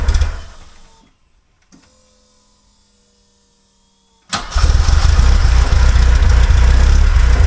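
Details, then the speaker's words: 1976 Alfa Romeo Spider, parked 24 years, successful start on a cold snowy day: starter catches, engine fires into a steady even low idle, no misses; then ran about 5 minutes with oil pressure and temperature. "yeeha we've been running it for about 5 minutes and we have uh oil pressure and we have temperature"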